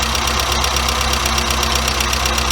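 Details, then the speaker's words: Warmed-up engine with a Weber 38 DGAS carburettor after giving each idle mixture screw an extra quarter turn richer to stop it jerking and struggling: steady, even idle with a smooth firing beat and no stumble. It sounds much better. "sounds much better already now we just need to lower the idle speed because we're giving it a bit more fuse"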